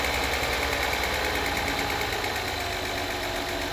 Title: 2016 acura rdx ticking noise consistent with rpms after spark plug change and timing belt.